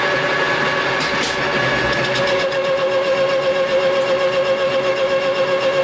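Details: Lathe facing cut at 0.050 in depth: a steady ringing tone with an even cutting hiss throughout, no chatter or bogging. Normal cutting within capacity.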